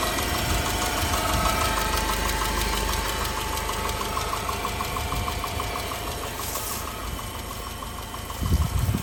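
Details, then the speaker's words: 2009 Subaru Forester 2.5X jump-started, rough idle with faint regular light tapping about three per second; owner suspects rod knock, glitter in oil, stalls and low power; slight knock, unconfirmed engine knock. "the owner told me that it likely has a rod knock i could hear a slight knock but it wasn't that bad"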